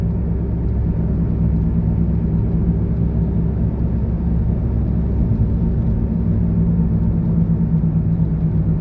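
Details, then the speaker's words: Honda at 70 on the road, before repair: a steady, low droning hum under road noise with no vibration. It grows louder when lifting off or accelerating and comes from a wheel bearing changed only days earlier. "70 पर गाड़ी चल रही है बिल्कुल smooth है but एक ऊंची loudness आ रही है"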